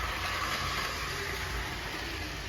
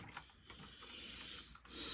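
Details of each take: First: Two-dollar HO gauge model locomotive, stiff and finicky until oiled: small electric motor whirring steadily with a few squeaky bursts near the end; normal running. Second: Old metal-chassis HO gauge model locomotive motor: quiet, raspy high-pitched grinding with scattered faint ticks as the motor chews on accumulated carbon buildup; the gears also need oil.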